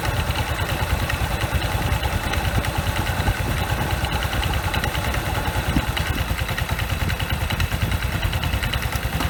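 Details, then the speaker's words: Yamaha QBIX scooter test ride after fixing judder and shaking on pull-away by replacing the front pulley halves (outer and inner) and the rollers, using Mio 125-compatible parts. Even, low-speed engine thumping with no jerky surges or clatter. Healthy drive. "หลังจากที่เราไปเทสมาก็ผลปรากฏว่าก็ผ่านไปด้วยดีครับจบที่จบที่การที่เราเปลี่ยนชุดนี้นะชามหน้าทั้งด้านนอกและด้านในแล้วก็เป็นเม็ดครับ"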